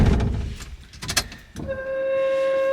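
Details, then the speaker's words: 1973 AMC Gremlin X with a Gen 3 Hemi swap and A518/46RH transmission, key-on before start: a steady high-pitched whine that goes away once the engine fires; suspected to be the Corvette fuel filter or the fuel pump. "that scream you hear is, I think that's the fuel filter that we use, that Corvette one, and it's kind of screaming the fuel back because it goes away once you fire it up. Or it's the fuel pump."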